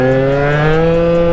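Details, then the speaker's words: Honda Dio two-stroke scooter with a 28 carburettor, running rich and puking fuel: revving note holds briefly, then sags and dies out as the throttle opens; bogging and stalling under throttle. "he gets on it and it just dies out"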